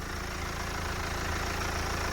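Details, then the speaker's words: BMW 318d E91 Touring with about 160,000 miles: a steady diesel idle under the bonnet with no ticking and no timing chain noise; the engine runs fine. "you can see in here this runs absolutely fine there's no ticking move away you can hear me there's no ticking there's no sounding of that timing chain problem"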